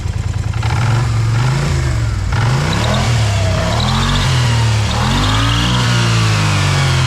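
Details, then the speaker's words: 2020 Kymco AK 550 scooter, idling and revved in shop, loud engine noise; engine revs rise and fall with a thin high squeal on top, suspected dry, dirty CVT belt rubbing; not confirmed. "deix o motor ligado vou aproximar bem a câmera porque essa moto tá com um barulho bem alto no motor na verdade em duas coisas"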